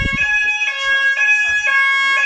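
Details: Old preschool fire alarm sounder that had no sound, tested during a quick fix: a loud, steady high-pitched electronic tone pulses evenly over a quiet background. The sounder is working and clearly audible.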